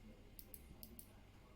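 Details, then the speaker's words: Hoover HL500PT vacuum safety microswitch after repair: clip bent slightly for more tension so switch clicks sooner; two crisp pairs of small clicks over a quiet room, switch snapping over cleanly. "it does a quick click as you can see I've bent the clip slightly so it creates the tension more quicker"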